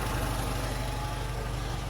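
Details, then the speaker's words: Austin/MG Metro four-cylinder idling as it came after ignition timing set to about 30° full advance; a bit lumpy with soft burbling exhaust beat, carburettor mixture way too rich and needs leaning out. "way too rich so we need to lean that out um and then uh see what else those other tuners have managed to do to this engine"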